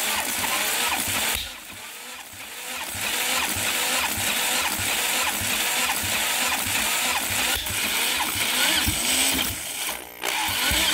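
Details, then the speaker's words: Home-built turbocharged see-through engine on EFI, first start attempt, throttle opened slightly: cranking with ragged pops and sputters through the turbo and kickback, never catches; incorrect ignition timing causing backfire, engine warmed to about 85-90 degrees. "I'm getting some popping out of the turbo so something definitely was not right with the timing getting some kickback so I mean there's some fire going on in that cylinder"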